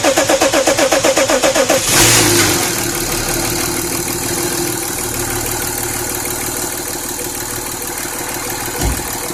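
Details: BMW M57 diesel at its first start after engine installation: about two seconds of even cranking, then it catches and settles into a steady, smooth idle with no knocks.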